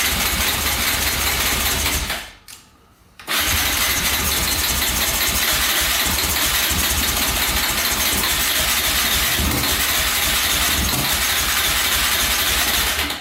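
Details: 2004 Yamaha Raptor 660 quad, gas down the carburetor, choke cable pulled by hand because its lever is broken: rough, ragged engine catches briefly after a pause and runs unevenly; fires only momentarily, owner thinks carbs badly need cleaning.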